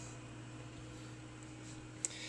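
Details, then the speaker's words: Quasar VR-1000 VCR after replacing the take-up reel belt and servicing motor bearings and pulleys, about 90 minutes into fast forwarding a 120-minute tape: quiet steady hum at one pitch, no slowing or labouring, one small click; normal. "it's still going it has not stopped it has not struggled it's still going nice and smooth very happy machine right here"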